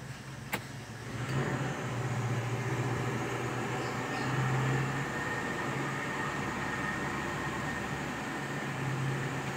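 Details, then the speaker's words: 1997 Toyota Kijang carburetor after Blackcore tuning (previously heavy pull, hesitation in 3rd gear): starts at once, smoother idle around 600 rpm, then AC switched on, even low hum and faint compressor whir, no misses; normal idle. "langsung hidup di airbling di 6 jadi lebih halus kita coba hidupkan AC"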